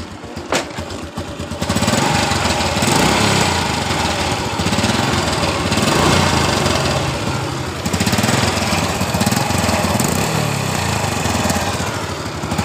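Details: Honda Absolute Revo, engine cold: uneven rattly metallic churning heard at the right crankcase, like a loose iron part; owner says it fades once warm and the engine runs smooth; source unconfirmed, mechanic suspects oil circulation on cold start.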